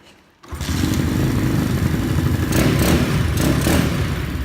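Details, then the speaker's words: Honda Dax clone with 140cc Z40-cam engine swap: lumpy thumping idle with irregular surges and pops; owner thinks carb needs more fuel or jetting up, possibly lean; uneven running on choke. "Definitely needs more fuel in that carb if it wants jetting up or trying to put the choke on. Does sound nice though."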